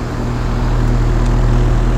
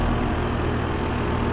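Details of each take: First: 2001 Trane XE1000 Weathertron 5-ton (60,000 BTU) base-model heat pump outdoor unit in heat mode, late November: loud steady low hum and fan drone, audible from the street, easing after a few seconds; running under high load, normal. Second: 5-ton 2001 Trane XE1000 Weathertron heat pump in heat mode under high load, outdoor unit: heavy, steady low rumble and drone with a shaky buzz. The fan grill and side condenser cover are vibrating.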